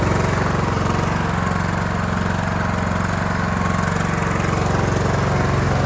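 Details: Cub Cadet LT1045 riding mower (276 hours) after repowering with a replacement engine, the original having a cracked block and seizing: steady, even single-cylinder thump at idle with no misses or knocks; healthy normal idle.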